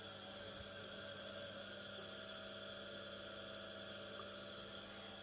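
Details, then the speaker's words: First small 230 V single-phase induction motor, unloaded, on a homemade variac around 110–150 V: low even hum with faint steady whine, no knocks or rattles, a little louder than at lower voltage, running normally. "the motor is a little bit louder but not like anything in regards to those fans that I was testing in the previous video"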